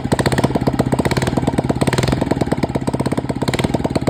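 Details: Royal Enfield Electra single after worn, cut cams were replaced (they had caused a loud tik-tik) and timing set: even thumping idle at about ten beats a second with no ticking on top. Normal, healthy idle.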